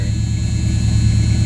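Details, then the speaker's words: 1976 Camaro, rebuilt Holley four-barrel with a newly hooked-up electric choke, cold start: a steady burble at raised idle, slowly falling over 2–3 minutes to normal. Owner suspects the choke idle screw setting; plans one to two turns down. "it's slowly going down it usually takes two almost three minutes until it's at normal idle in operating temperature"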